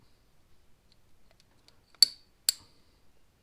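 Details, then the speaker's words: 1930s J.H. Williams S50 ½-inch drive ratchet, about 16-tooth and very coarse: two sharp, crisp clicks half a second apart as the simple pawl snaps over the teeth, before teardown; normal ratchet clicking. "now these are very interesting ratchets because they are just about the simplest ratchet design you can find they are very coarse as you can hear"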